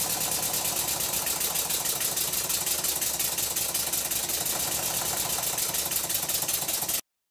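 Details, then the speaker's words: Stuart Twin Victoria miniature twin-cylinder steam engine after complete rebuild, running in, lubricated with thick steam oil: fast, even chuffing beat with no knocks or stumbles, running much better than before the rebuild. "have a listen to the engine now the engine seems to run much better now than it did before I started the rebuild"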